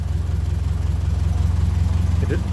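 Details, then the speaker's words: 1957 Ferguson 35 TVO tractor idling from cold after the pushrod problem was sorted: steady, even low thump with no knocks or misses; runs sweet, a very happy engine. "like I said at the end of the last video but it stays making that sort of Music it sounds like a very Happy Engine"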